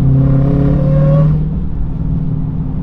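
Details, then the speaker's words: Hellcat with its transmission broken again while driving. A low whine over the engine climbs in pitch under load and drops away on lift-off. It is louder when driving next to something; a drivetrain fault. "you could hear it a lot more when I'm driving next to something it sounds Maney it's like"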